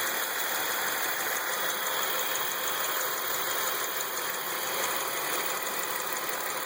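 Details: 2003 Chevrolet Lumina, Ecotec 3800 3.8 V6 at idle: light, fast tick over a whiny hiss from front of engine, owner suspects the alternator for the other noises; ticking source unclear.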